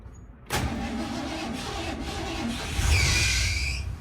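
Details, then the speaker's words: Vehicle with a Ford 4-terminal starter solenoid and a hot-start problem, after the faulty wiring and battery terminal were redone, battery reading about 12 V. Short, firm crank, then the engine catches and revs up cleanly. The starter now sounds stronger. "see the starter is like more stronger now like I said the starter is more stronger if it has that"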